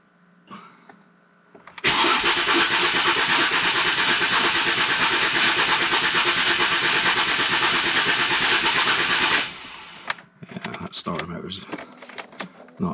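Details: Ford Mondeo ST220, unstarted since last October, cranked with the fuel relay removed to build oil pressure: about seven seconds of steady cranking without firing, with a laboured churn suggesting a weak starter motor.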